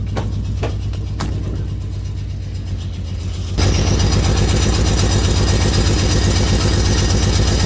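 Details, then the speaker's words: $300 auction car with a new valve cover and apparently original coils. A few sharp clicks, then the engine catches into a rough, uneven idle; owner says it sounds rough, like an exhaust issue. Rough running, cause unconfirmed. "Sound like some exhaust. Sound like some exhaust."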